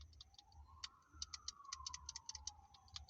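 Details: Nissan March/Micra rear window switch pressed as the reference: crisp, irregular light clicks over a quiet background. This is the normal click of a healthy switch, unlike the faulty one being compared against it.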